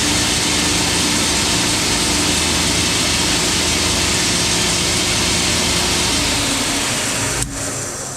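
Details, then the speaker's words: Wood-Mizer EG100 edger test run after replacing its worn-out drive belt: steady, even whirring drone with constant tone, no slapping, squeal or knocking until spin-down; edger and belt running properly. "Uh, nice thing to do is, uh, plug it in, give it a test run, make sure it sounds right."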